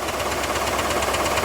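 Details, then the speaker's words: IROC Camaro V8, heard through a stethoscope on an engine component: rough grinding with a fast, steady tick, not smooth. "Like grinding and ticking, right? Doesn't sound smooth."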